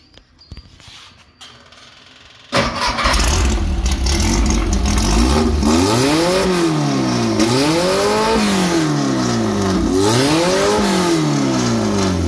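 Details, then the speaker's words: Engine with tri-power setup, all three carbs running together, after fitting a homemade Chevy HEI ignition with improvised plug wire connections: cranks and fires cleanly, crisp revs that rise and fall, then a smooth healthy idle; the new ignition cured most problems, though tuning still needs tweaking. "hear how much nicer and clearer it is that ignition took care of just about all my problems"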